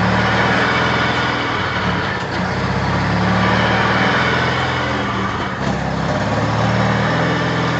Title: 93 RX-7 Turbo whine.3GP